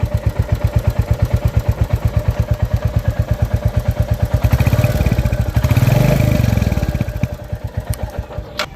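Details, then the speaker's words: Royal Enfield Bullet 350 J-series single-cylinder, three services done and tappets already adjusted: steady thump near 170 beats a minute with a faint light tick on top; tappet noise from valvetrain, returns and grows louder when the engine is hot. "और यहां से जो टिक टिक आवाज आती है वो होती है हमारी टैपिड नॉइस की।"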